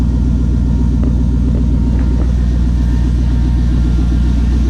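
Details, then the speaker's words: 1980 Chevrolet C10 with 5.3 LS swap, warm-up idle just before cam and valve-spring swap: deep, steady V8 burble with even lope, no ticks or knocks; normal idle, baseline before-sample. "Still starts. Good sign. Do a little quick walk around while it warms up."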